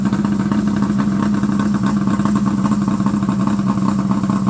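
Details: Fire-damaged Ski-Doo Summit Mach Z two-stroke sled after restoration with cleaned carbs: it runs at a fast, steady speed without stumbling, so the carbs are feeding it properly.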